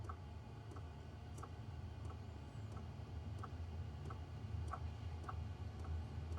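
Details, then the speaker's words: Hcalory Toolbox Max portable diesel heater starting up: soft, even fuel pump clicks roughly one and a half per second over a low fan rumble; normal fuel pump ticking, quiet in person. "You hear the clicking noise. If you can hear it. So, the fuel pump is kicking in now. Not loud at all."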